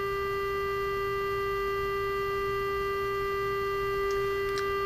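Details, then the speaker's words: Emerson R-156 electrodynamic speaker after new field coil fitted, original cone reinstalled and new cardboard gasket made: with the field-coil power supply ramped up, a clean steady 400 Hz test tone plays without buzz, rattle or crackle; normal reproduction. "that's a great sign I think I'll just leave it there for now"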